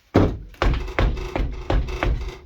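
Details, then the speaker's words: Car after clunk fix, tyre pushed by hand: only dull thunks with faint license plate rattle, tyre barely moving; previous suspension clunking completely gone; no suspension clunk. "you don't hear the clunking sounds besides me pushing that so yeah the clunking sounds finally going"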